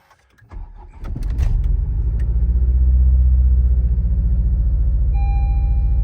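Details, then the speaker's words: 10th gen Civic Si L15B7, cold start after sitting a week, new injectors and spark plugs: uneven bubbling, lumpy idle, misfire cylinder 3; owner suspects head gasket, replacing engine with built short block. "Shit sounds like the SpongeBob car from that car from SpongeBob that makes the bubble noises. Listen. Misfire cylinder 3. Brand new fuel injectors, brand new spark plugs."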